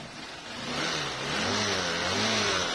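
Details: Honda Shine SP with hard starting, stalling and no headlight, battery fully discharged, kick-started: single-cylinder engine revs up and holds, pitch rising smoothly with no misfire or stumble; running healthy.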